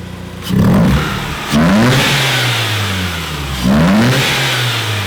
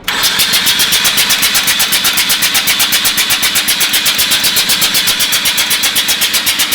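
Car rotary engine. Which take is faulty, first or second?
second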